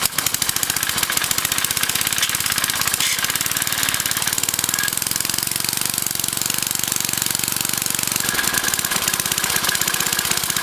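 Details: Briggs & Stratton 5 HP engine converted to run on propane from a barbecue grill tank via a propane carburetor, mixture set by the tank valve; quick, even single-cylinder pops at a steady speed with no misses, running smoothly.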